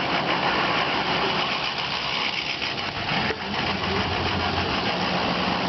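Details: Diesel idling roughly, the beat uneven and wandering with a dip in the middle; suspected to be caused by a bad ICP sensor.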